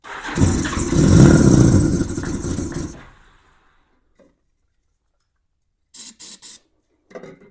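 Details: 1987 Honda GL1200 Goldwing, first start attempt in many years on a new 24 Ah battery with a revived fuel pump, cold bike, choke lever not working: about three seconds of steady cranking that never catches; owner suspects carb bowls still filling with fuel.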